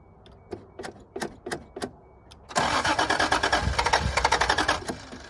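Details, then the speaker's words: 1986 Toyota Supra: slow cranking beats, then it fires and runs ragged for a few seconds before fading; fires but won't keep running. Owner suspects a lack of fuel, as the fuel pump can't be heard running. "She sounds like she wants to run. There's probably no gas in it. Can't hear the pump run."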